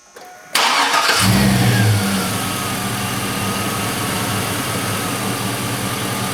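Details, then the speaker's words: 2000 Chevrolet Silverado 1500 Z71 5.3 V8 after fitting a new drive belt to cure a squeal (old belt likely stretched): fires quickly, revs briefly, then drops to a smooth, steady idle with no belt squeal; healthy. "oh you listen to that it was the Bel squeaking the whole whole time and I had that new belt in the back seat the whole time"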